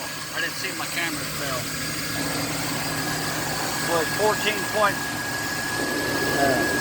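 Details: 2000 Chevy C3500 with 7.4L 454 V8 and a no-crank fault traced to a ground-cable voltage drop; battery fell to 10.5–11.2 V while cranking. Catches on the key and settles into a steady, even idle with no stumble or knock; healthy.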